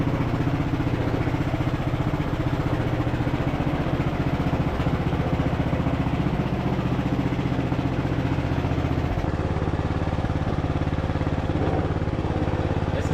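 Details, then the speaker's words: Craftsman LT1000 riding mower, revived, driving in gear: steady, even single-cylinder putter with no misses or stumbles; engine running smooth, normal running. "So we'll probably have to adjust the brakes, but it's running really smooth."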